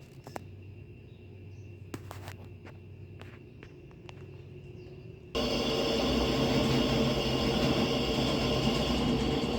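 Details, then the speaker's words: Washing machine after replacing the bearings, seal and spin mechanism: a quiet even hum, then a loud steady whoosh as the drum spins up. The earlier airplane-like roar is gone; smooth, healthy spin. "acabou aquele barulho de avião"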